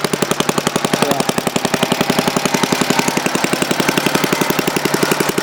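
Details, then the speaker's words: Restored 1952 Briggs & Stratton 5S hand-lever-start single-cylinder engine running without a muffler: sharp, even exhaust pops at about 220 a minute, no misfires, running fine at idle and intermediate speed after rebuild. "but other than that, it runs fine at idle and at intermediate speed. It's happy."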